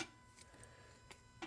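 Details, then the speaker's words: 2011 Lotus Evora S, used Capristo valved exhaust with CES3 controller just installed; ignition on, engine off, remote buttons pressed: faint sharp clicks about a second apart in a quiet cabin, the exhaust valve solenoid switching normally. "that's the solenoid. So all sounds good."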